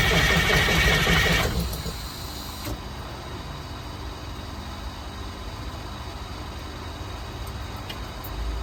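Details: 1982 Wanderlodge FC bus diesel after injector pump replacement, first start attempt: a second and a half of steady cranking churn, then quiet with no firing; shut-off solenoid suspected not getting power, unconfirmed.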